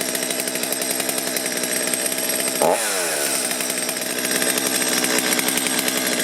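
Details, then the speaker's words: Stihl chainsaw that was hard to start and bogged, restarted on factory carburetor settings after a brief warm-up: high steady buzz, then clean throttle blips with no bog or stumble, running properly. "Let it warm up a second, push the throttle, and go to the run. So hopefully this took care of things."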